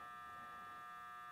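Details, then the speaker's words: Audio equipment from a Formosa 41 sailboat, under repair: a faint, steady buzz at a fixed pitch; owner suspects the transformer is humming, voltage not yet tested. "it sounds to me like it's it's the Transformer that's huming and um so it's probably the Transformers"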